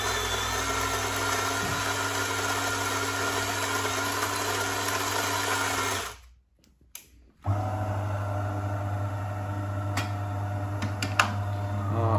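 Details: DeLonghi coffee machine after repair of the brew unit drive shaft, previously with metallic sounds and red triangle error: steady low pump hum, short pause, even hum again with no metallic scraping, healthy brewing.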